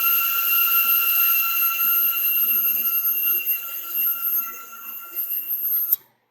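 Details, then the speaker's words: CNC Y slave-axis stepper motors taken off the chassis and run on their own: steady, clean high-pitched whine with even pitch and no rubbing or excess friction. They sound perfect compared with when mounted, ruling out the electronics. Normal stepper motor running. "now you guys got to hear exactly what those motors sound like that sounded perfect in comparison to when they were mounted on the chassis"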